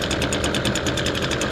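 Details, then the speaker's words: Echo SRM-225 two-stroke weed trimmer, cold start on choke, before repair: high steady buzz with a rough pulsing, restricted edge and heavy exhaust smoke; starts fine but bogs down when trigger is pressed. "wow a lot of smoke coming out of that exhaust and that's all he's getting it starts up fine though just barging down"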